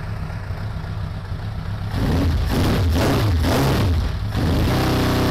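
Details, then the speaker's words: 2002 Suzuki Bandit 1200S four-cylinder after fixing a vacuum-port leak: lumpy idle stumbling roughly every beat with hesitant revs; still dropping cylinder number three, spark present, no fuel, number three carburetor likely at fault. "number three no change so it's still dropping a cylinder yeah it's definitely number three i get a change on one two and four so number three carburetor most likely has got a problem"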